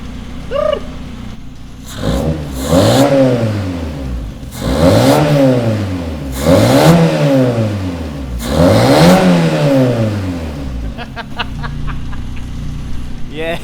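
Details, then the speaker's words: Stock car (tarmac car) with freshly self-rebuilt engine, just started, not warmed up, no air filter yet: three clean, crisp blips rising and falling smoothly, deep even exhaust note with no rattles; healthy free revving. "You rev it up. You rev it up. I I want to hear it, boy. [Music] Yeah, mate. Bosch, that exhaust is sounding sweet, but a little"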